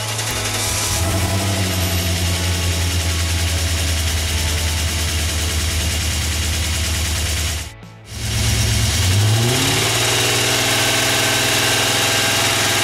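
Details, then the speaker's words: BMW 535ia engine after reinstallation, cold start in low ambient temperature with catalysts refitted: fast light clacking over idle and revs from a hydraulic lifter not yet primed with oil; a few revs did not clear it; expected to go once warm. "on entend encore nettement à plus soirée d'olic n'est pas réamorcer qui claque d'autant qu'il peut malgré quelques montées en régime infructueuses"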